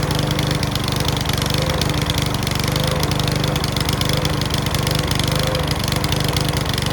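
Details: Mountfield V35 150cc single-cylinder mower (HP414, 38cm cut) after a carb clean; steady speed with irregular pops and a clacking rattle through the run. Owner suspects the carb needle needs sorting; possibly low on fuel. Not confirmed.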